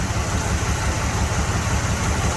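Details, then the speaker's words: 1979 Chevrolet Camaro Z28 V8, original survivor under 12,000 miles, morning startup: smooth, even quiet idle rumble, no knocks, ticks or smoke, slight belt noise from the AC compressor; normal idle. "nice and quiet get a little bit of belt noise here uh over off the compressor as i zoom in you can hear that but no engine noise at startup motor's nice and quiet she doesn't smoke"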